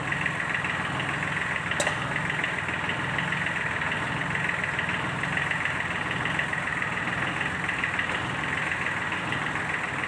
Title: tractor engine Sound problem fixed,valve seat and piston ring replaced Sunshine L1-255/ D1462-TV